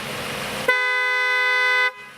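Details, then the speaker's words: 1991 Mercedes S-Class Town & Country two-note horn on its normal setting: a steady, clean honk held about a second, even pitch with no rasp or warble. The horn is healthy. "this car has something called a Town & Country horn and what that means is there are two different notes the horn can play at your choosing honk the horn normally and it sounds like this"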